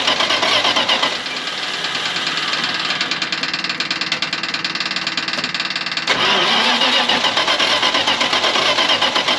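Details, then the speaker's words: 1980 Dodge 200 truck with known rod knock, first start after sitting for years: loud, fast metallic clacking right after start, about four knocks a second over a rough idle before it stumbles, likely out of fuel. "this thing is clickity clacking right away pretty loud"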